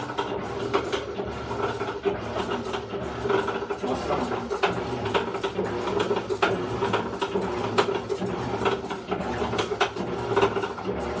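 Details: Electrolux LEC14 top-load washer: loud, fast ratcheting clatter during agitation, also noisy in spin; a worn, loose coupling cam (camis gear) is at fault.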